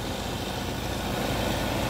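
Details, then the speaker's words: 2002 Suzuki Katana GX with the bonnet open, engine bay shown near the front-left fender and power steering. Steady, even idle with a smooth rumble and no knocks, ticks or misses; the engine sounds good and healthy. "ini baut-bautnya ini terus ini bagian spakbor depan kiri ini power steering nya suara mesinnya enak"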